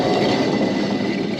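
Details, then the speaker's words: 2015 Ford Transit 350 driver-side front wheel hub, caliper and bracket removed, spun by hand: steady gritty, grainy rumble from a failed hub bearing before replacement. "to our bearing, which you can, I think, hear is shot."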